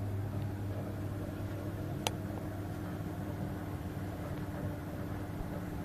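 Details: Potterton Netaheat 16-22 gas boiler a couple of minutes after burner start, already treated with Sentinel 200 descaler: steady low rumble with a rough bubbling undertone, kettling.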